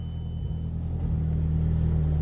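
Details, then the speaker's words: Mazdaspeed3 first start after high-pressure fuel pump and intake install, battery reconnected: catches at once, settles into smooth even low rumble with no knocks or misses; healthy start. "Everything seems good. Let's go check out the engine bay. Everything seems fine."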